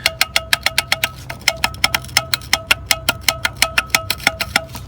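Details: Chevy OBS truck AC blower motor before replacement: sharp metallic ticks about five a second with a faint ringing tone; blower motor rattle, owner suspects a failed motor bearing, motor replaced.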